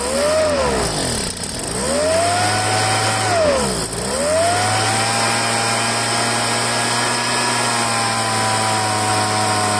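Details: Poulan handheld two-stroke leaf blower after fuel line replacement: surges and sags twice, then holds a steadier buzz; suspected dirt in the carburetor, probably from a broken primer bulb.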